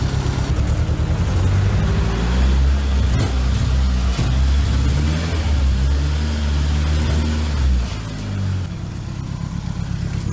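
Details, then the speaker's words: Nissan 200SX S12 with CA18ET engine: a lumpy idle with a stumbling beat, the misfire earlier sporadic and now nearly continuous. Cylinder two is not responding, and a stuck or intermittent injector is suspected but not confirmed. "sporadically and now it's done it pretty continually kind of sounds like an injector that's stuck or intermittent"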